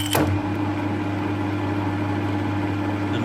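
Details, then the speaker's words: Harrison 140 lathe, 3HP motor, new taperlock high-speed pulley and A68 belts: steady even gearbox and motor hum with clutch engaged, no rattle since worn copper clutch plate is held; normal running. "so the LA of the the noise of the LA is not horendous when it's running it's more gearbox and um motor noise"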